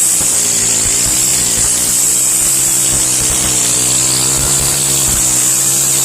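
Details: Stihl FS131 trimmer after cleaning the spark arrestor screen and carbon from the top of the spark plug hole, with a little oil added: high buzzing two-stroke note holding steady with small speed swings, no sputter or bogging; runs clean and healthy.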